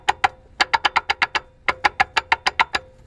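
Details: Suzuki Samurai transfer case with Trail-Gear 4.9:1 gear set, mic on the case: pushing in the clutch while driving gives rapid hollow gear-slap clacks, about eight per second; same noise in two cases, input/output shafts shimmed with no play, cause unconfirmed.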